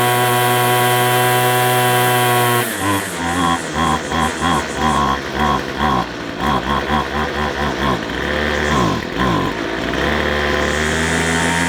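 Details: McCulloch 250C XL X-series two-stroke strimmer after a fuel filter change; it draws fuel poorly, and a carburettor diaphragm is suspected. It screams high and thin, then surges and stumbles, won't idle, and runs lean. Cause suspected, not confirmed.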